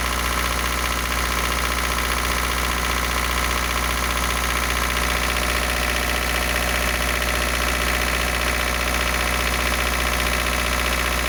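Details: Isuzu NPR diesel, cold at high idle after 11 years sitting on bad fuel: light regular tap about three per second, like valve adjustment, comes and goes, gone when warm. New pistons, sleeves, valves; valves checked; owner suspects oil squirter.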